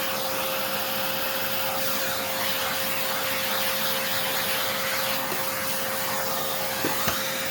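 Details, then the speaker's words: Hoover Encore U4595 vacuum during a partial refurb, short test burst: a smooth, even, high-pitched motor whine with no rattle or grind. It sounds good, though the bottom motor bearing hasn't been checked yet. "Oh, I think that works. That sounds really good."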